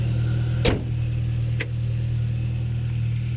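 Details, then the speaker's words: Ford Mk3 Mondeo track car, unmoved for months, dirty: starts immediately and settles into an even, steady low idle with only a couple of handling knocks; idles smoothly. "we just started up immediately no problem and you shouldn't be a problem go there in zagros we can hear it right it's quite dirty but it's fine"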